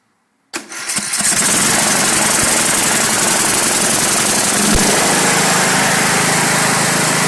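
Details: Briggs and Stratton 31Q777-0215-E1 lawn tractor engine, first start after repairing no compression (valve seat fell out of cylinder head) and setting valve clearances, battery a little low: short crank, fires within a second, settles into a loud, steady, even run, no misses or knocks.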